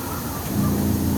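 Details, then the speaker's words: Water-methanol injection on turbo S10 Dart race engine, boost-referenced activation switch tested with shop air hose: halfway through a steady low pump hum switches on at about 7.5 psi and holds evenly; pump activates cleanly. "so what I've got is air hose running to this it says we the PSI here everything runs in and just listen you're here the pump come on at about seven and a half so as I increase it"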